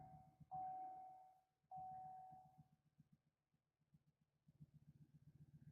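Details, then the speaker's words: 2007 Chevy Silverado 5.3L V8, started cold after sitting, with a flashing check engine light and a false engine-hot message: two dash chimes, then a shaking, lumpy idle with stumbling pulses from a misfire. "So let's start it up and see how it runs. Oh yeah, it's shaking."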